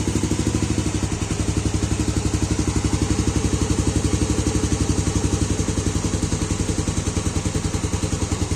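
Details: Fuel-injected motorcycle idling after the broken injector wire was soldered and the injector refitted (battery 12.3 V; codes 22, 13, 15 cleared, sensor socket faulty): a steady, even thump with no misses; it now starts normally on the first press.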